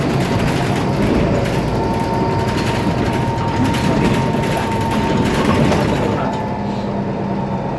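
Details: IETT Mercedes-Benz Citaro O530 city bus M2368, 2007, OM906LA Euro 3 turbo diesel, ZF Ecomat 6HP502C automatic, driving: steady high whine over the diesel drone with loose rattle chattering underneath; faulty turbocharger and noisy loose part.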